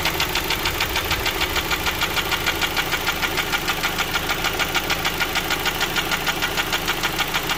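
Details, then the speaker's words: Honda Stream: heavy, even metallic ticking about three per second over steady idle, with loss of power; attributed to camshaft lobe galling. "It's like a heavy sort of tick, tick, tick, tick sound. You'll hear that, and that is cam lobe galling. So what happens is we lose power and we get this sound."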